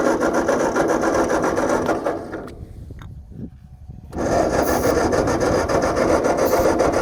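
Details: Tractor with a rebuilt engine: fast, steady cranking that pauses and resumes with only a hint of catching and never starts; it has fuel, and the owner tries starting fluid and finds it flooded. Cause suspected, not confirmed.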